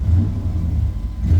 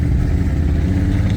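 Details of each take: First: 1997 Chevy K1500 V8 after replacing the mass air flow sensor to cure long-standing hesitation, first start before test drive: short crank, catches quickly, settles into smooth deep idle with light blip; normal startup. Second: 1997 Chevy K1500 floored from a stop: engine drones and labours with ragged sputtering, no acceleration until it finally shifts; long-standing 0-30 mph hesitation with no code, owner suspected the mass airflow sensor, before replacement, which fixed it.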